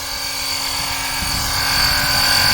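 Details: Oil extraction pump during DIY engine oil change, pumping oil out; steady high-pitched motor whine with even hiss building slightly and holding smooth, pump working normally.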